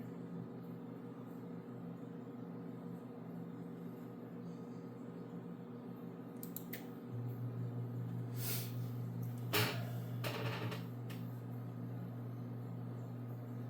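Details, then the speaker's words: Ham radio station running FT-8 on 80 meters with amplifier: low steady hum from a studio monitor picking up RF, possibly from its wire running by the amplifier; owner suspects interference. "The humming, if you can hear it in the video, is the uh one of my studio monitors."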